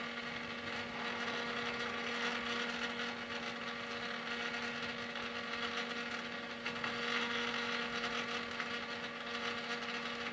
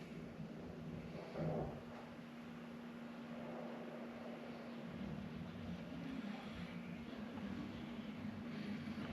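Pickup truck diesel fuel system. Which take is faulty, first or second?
first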